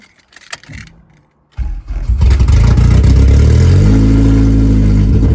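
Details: Honda Civic with a K24A2 engine swap and Hondata ECU, heard again before its first road drive: the engine catches after a stumble, then revs cleanly with a smooth rising note and no knocks or rattles; normal engine revving.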